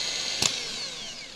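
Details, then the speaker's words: Known-good starter motor for a 1999–2007 GMC/Chevy truck with Vortec 4.8/5.3/6.0 V8, bench-tested by touching the solenoid: sharp clack then high, clean, strong whine winding down smoothly with no grinding; normal starter spin. "Oh yeah, look how strong that is. We just tap it right there. You can hear how much stronger it is, and this one is working."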